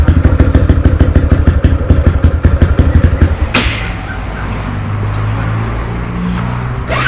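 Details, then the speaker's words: Freshly rebuilt Wave LED 59mm-bore engine with 5mm stroke (4-valve head, 24/21 valves, manual clutch, HiSPEED parts), first start after overnight assembly: a few strong uneven pulses then quiet smooth idle, no tapping — healthy. "ครับเครื่องเงียบกิบได้ๆๆสุดยอดเลยครับช่างเงียบกริ๊บเลยนะ"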